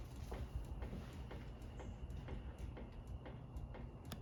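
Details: Harbor Breeze Centreville ceiling fan ticking about twice a second over a low hum, wobbling because one blade is bent up, still wobbling with the mounting bracket tightened; owner also notes a slightly bad capacitor on high speed.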